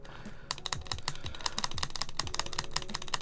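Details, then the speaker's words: Neo Ergo keyboard being rebuilt with tuned, lubed stabilizers: fast, uneven tapping with sharp, bright clicks and a thin rattling tick on the long keys; the stabilizers still tick despite lubing, lube suspected not spreading well. "Yeah, we're still getting a lot of ticking in there. Yeah. No, we're still getting a lot of ticking."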